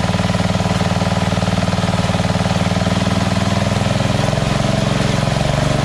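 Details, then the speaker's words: Engine after a surging problem, fitted with a Chinese copy Nikki 590399 carburetor, a newer O-ring intake manifold and a curved backward fuel nozzle: an even, steady single-cylinder idle putter, no hunting or surging, adjustable from lowest to highest idle. "so this is on the lowest idle right here go even lower if i wanted to that's it that's the highest so awesome"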